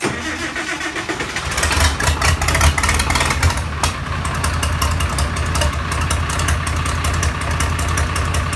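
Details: Farmall 706 diesel, first start after a rebuild with new glow plugs, head, pistons and rings, glow plugs heated 12–15 seconds first. Slow cranking churn, then it catches, revs briefly and settles into an even, steady idle: a clean start.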